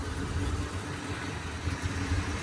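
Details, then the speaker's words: 1986 AMC Jeep Grand Wagoneer, carbureted, warmed up after starting: low steady idle with even beat, no misses, ticks or hunting; normal warm idle speed. "so now this is normal idle speed so um yeah this is a daily driver when I when I use it and when I don't I just put it away and uh it starts every time"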